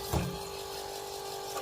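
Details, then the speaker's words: Fass 150 fuel lift pump on a Duramax LML Chevy, key on, after it had stopped working and was found running again: steady mechanical whir near 400 Hz with light ratcheting, even and unchanging; owner unsure but believes this is normal. "that's the sound that it's making and you know I marked this every time I change it so anyways guys that's what it's supposed to sound like"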